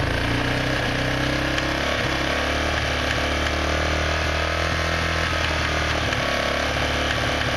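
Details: Quad ATV revved high: fast, harsh clicking rattle over loud buzzy running; continues with clutch lever depressed.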